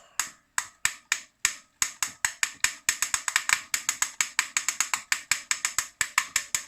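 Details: Shuangye e-bike hub motor with the motor off: sharp, dry, loud clicks when the wheel is moved in either direction, speeding up to about five a second. Pedals work normally. Cause unknown to the owner.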